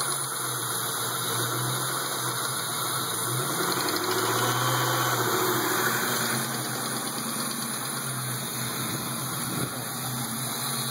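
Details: 1996 Ford Mustang GT V8: a rough, uneven tapping or knock over the exhaust note, occurring only on throttle and worse under load; cause not pinned down.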